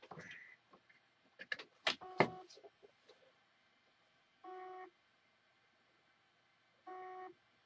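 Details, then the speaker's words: Seagate Barracuda external hard drive after PCB swap, connected via USB: short flat mid-pitched beeps about two and a half seconds apart, won't spin up; suspected incompatible PCB or internal fault, cause not confirmed. "a dry still making that same beeping noise so what I think there's something inside this drive cash is either PCB um not compatible"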